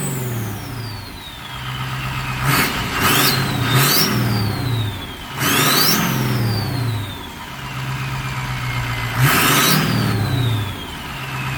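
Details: Diesel-swapped Mustang ("Strokestang") with a newly installed turbo: a steady diesel idle broken by several quick rev blips, with turbo whistle climbing and fading after each. No knocks; the new turbo sounds healthy.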